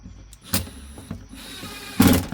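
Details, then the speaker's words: 2015 Lincoln MKX flood-damaged, window motor worked back and forth to revive it, now out of calibration: short motor whir between clunks as glass travels; window motor working again, needs calibration procedure. "See what happens now. Oh, wow. Yeah, it works now. Yeah, it needs to be it just need to be calibrated."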